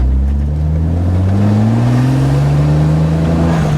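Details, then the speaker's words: E30 with a swapped N54 twin-turbo six, after fixing a high-boost misfire, on its first test drive: a fourth-gear pull uphill at 35 mph, the engine note climbing smoothly and evenly with no stumbles or misfires. "it feels smooth it does feel smoother i mean it's not just in my head all right all right here we go fourth gear pull 35 miles an hour no misfire so far"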